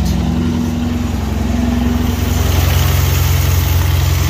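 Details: 1962 Chevrolet C10 pickup, grandfather's old truck being revived, starts after two-stroke gas poured down the carb; steady, even low idle with smooth regular beat, no knocks or ticks, oil pressure light goes out; healthy running.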